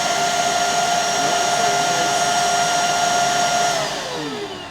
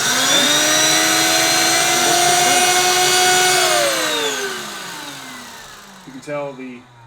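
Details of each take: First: Bissell 3374 Pet Hair Eraser Turbo Lift-Off upright vacuum, plugged in and switched on: steady high motor whine with no brush sound; brush roll not spinning though it turns freely by hand, so the brush itself is not the fault; belt suspected. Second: Bissell 3374 Pet Hair Eraser Turbo Lift-Off vacuum, air-driven pet hair turbo brush on the wand: steady high even whir holding pitch, then winding smoothly down; airflow spins an internal wheel that drives the brush, working normally.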